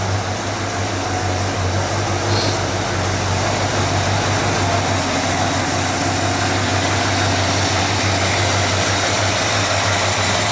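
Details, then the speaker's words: 1959 GMC Napco 4x4 truck, old V8 just fitted with new exhaust, Edelbrock/Carter carburetor with electric choke; runs with a steady, even rumble, no misses or stumbles; normal healthy running. "I know the owner would really like to hear this uh thing run with the new exhaust I'm going to go ahead and start it up um so you can hear it run"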